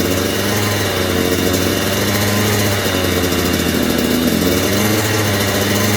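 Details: 2009 Kawasaki KX85 two-stroke, KX100 big wheel conversion, after top end job with rehoned cylinder and new ProX piston: crisp buzz holding steady with clean, even firing, no rattles or bogging; runs healthy, slight coolant leak, owner suspects overfilled tank.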